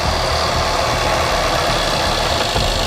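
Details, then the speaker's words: Supercharged 5.0 L Range Rover (2009 is mentioned) with 216,000 miles, a judder issue and a new coolant line, at a steady idle: a fast, light, knocky ticking over the engine note, cause not yet identified. "Can you hear that? Something sounds a bit knocky, doesn't it?"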